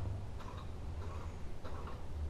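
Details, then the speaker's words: Ceiling fan on low speed (medium and high work): a low motor hum with a light tick every half to one second as the fan labours, then jams and stops. Owner suspects a loose blade. "That's not good for the motor. When I want it on low, it completely stops it"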